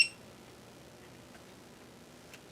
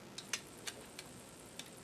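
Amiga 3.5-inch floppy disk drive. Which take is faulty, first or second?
first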